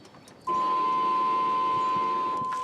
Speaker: and did you hear that for about a second and a half two seconds max you heard that fuel pump spin up and then stop what that did is pressurize the system so that's your prime